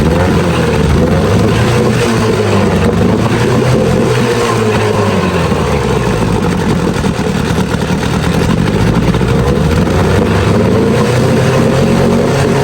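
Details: Evinrude Sport Twin 2-stroke outboard after carburetor cleaning and new fuel lines: steady, even two-stroke buzz with no misses or surging at fast idle, pumping water well; normal running.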